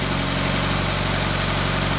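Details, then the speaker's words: Subaru BRZ on a new short block after fixing reversed fuel lines, timing actuator valves correct; warming up toward temperature, even steady idle with a regular low pulse, no ticking or stumbling, idling down nicely. "I'll see any oil leaks now she's idling down nice"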